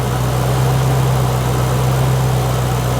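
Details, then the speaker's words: 2008 Roush 427R Mustang V8, 72,000 miles, salvage car: smooth, deep, steady idle with no ticking, knocking or misses; absolutely quiet, purrs like a kitten. "Listen to this. Absolutely quiet. Purrs like a kitten,"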